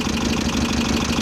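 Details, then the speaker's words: VW Type-3 Fastback air-cooled flat-four, just reinstalled after tightening loose cylinder heads that rattled when cold, idling with steam coming off water. A fast, light, even valve ticking rides over the idle rhythm; the valves need readjusting. "Valves are definitely noisy. And you see the steam coming off the water in the in the system. Well, I definitely have to readjust the valves."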